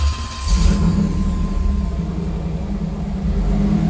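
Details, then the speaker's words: 1992 Chevrolet Camaro Z28 V8 with a history of intermittent hard starting, stalling and sputtering, after a new fuel filter, ignition control module and oil pressure sender: it catches and settles into a steady, even, smooth idle with no misses. It sounds healthy, but the fix isn't confirmed because the fault is intermittent. "But it idled smooth, it responded great, and stayed running, most importantly."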